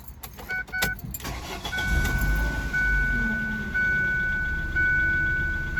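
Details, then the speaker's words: 2002 Ford Focus after a PCV hose repair for code P0171, restarted after a long test drive: clicks and chime, cranks, catches and settles to a fairly steady low idle; still a touch rough in gear, P0170 seen once. "And she seems to be idling okay now, for sure."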